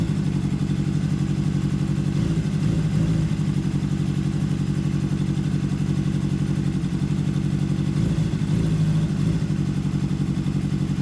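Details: Honda CBR600RR rebuilt from a wreck, about 14,000 on the clock, warmed up: rough, lumpy idle that sounds like a two-cylinder, with a cylinder not firing; misfire, owner fears low compression and doubts valves need adjustment.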